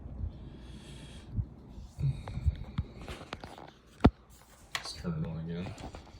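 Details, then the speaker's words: Technics SL-MC7 CD changer after belt replacement (the old worn belt had left the carriage unable to move). Soft clicks and a brief low motor whirr as a disc loads smoothly; normal disc loading. "Let's watch it load the disc in. Cool."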